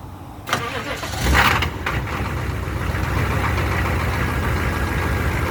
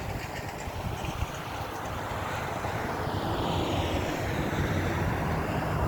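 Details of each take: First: 1994 Chevy C3500 HD 6.5 turbo diesel, code 36, new lift pump and glow plugs, hard start only cold/first start: brief crank, then catches into a steady even idle clatter; owner suspects fuel prime loss, cause unconfirmed. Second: 1994 Chevy C3500 HD 6.5 turbo diesel, warm restart after running for the day: a few seconds rough, then steady even idle clatter; normal, unlike the hard cold start with code 36 suspected of losing prime.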